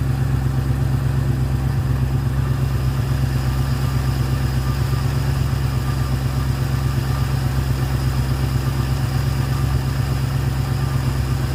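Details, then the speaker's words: Ford Fairlane with newly installed Holley 500 CFM carburetor and manual choke, throttle linkage readjusted, warming up: steady even fast idle about 1300 rpm, no knocks or misses; healthy. "I'm going to let it warm up a bit and then I'll probably turn the idle down a twitch. It's at about 1300. Sounds good."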